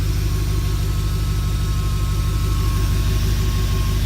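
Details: BMW E39 540i V8 after water pump replacement, fan clutch and blades removed, before bleeding coolant: steady, even low idle with a faint thin whistle on top, no knock or rattle; normal idle.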